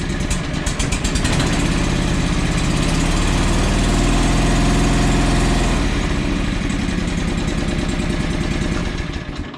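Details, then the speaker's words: John Deere 445 riding mower twin, sold as running on one cylinder, at raised throttle: lumpy, uneven chuff with missing beats. The far-side cylinder is dead and a bad coil is suspected. Running on one cylinder. "so it's running on one cylinder um i happen to know it's the cylinder on the other side that is the one that is not running"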